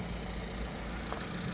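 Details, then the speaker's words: Vauxhall Astra H 1.4 SXi petrol, 79k miles, after replacement engine fitted: low, steady idle with an even beat and no ticking, knocking or whine; no dashboard fault lights. Normal idle. "have you any touch any faults on the dashboard engine lighter 19 no very nice very good fantastic"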